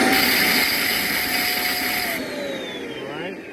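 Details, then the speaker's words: Shark/Hoover-type vacuum with poor suction, filters already cleaned: harsh high-pitched motor whine with a strained edge at switch-on, pitch sliding down as it spins off; strain from motor cavity's built-in overheating/overwork protection mechanism due to suction blockage. "now the sound is coming from right here okay the moment you turn it on you hear this kind of this strain right here"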